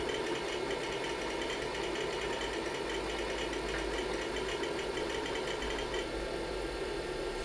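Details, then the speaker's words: IBM PC 5150 MFM hard drive, showing up as drive D, during a surface analysis: fast, busy chattering clicks over a steady spindle hum; heavy head seeking, loud but working well. "it's interesting that it's showing up as Drive D not C I don't know what that means that's very loud it's performing pretty well"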